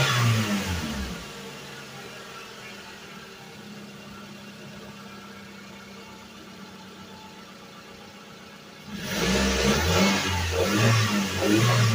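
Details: Suzuki Vitara revived after sitting 13 years, run 15–20 minutes at a time to free up: engine idles quietly and evenly, then revs up and back down cleanly with no knocks or misses; sounds healthy.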